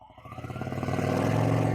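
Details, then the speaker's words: 2000 Honda Shadow ACE 750 V-twin after fresh gas filled the carbs and the idle rose on its own: clean, quick rev rise with an even, steady note and no stumble. It runs smoothly. "Oh my god, it sounds great. Sounds way better than it did. Oh, perfect."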